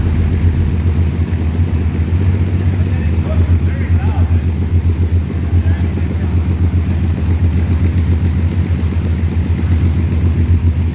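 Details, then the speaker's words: 1938 SS Jaguar 3½-litre six in a drophead, first start in over 50 years, after replacing old plugs (two of six failed): steady low throb at constant idle, even firing, no misses; runs much better. "she sounds a lot better with the new plugs"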